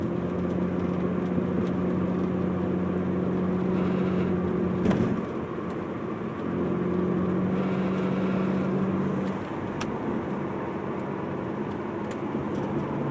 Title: Car buzzing noise